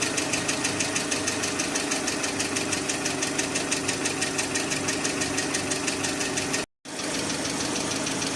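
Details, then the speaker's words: Engine idling with hydraulic lifter tapping, light even ticking about three per second; an engine flush did not help, while an oil additive made the knock much quieter and nearly gone by the end. "залил присадку мы услышали стук конечно гораздо меньше под конец уже почти исчезал"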